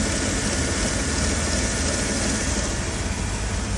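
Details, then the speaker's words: 2006 Land Rover LR3 SE V6 after power steering pump, reservoir and hose replacement, fluid topped off and bled: smooth constant idle, even low rumble, no pump whine or groan; normal idle. "There's the oil topped off. Sounds beautiful. There's the new pump right there."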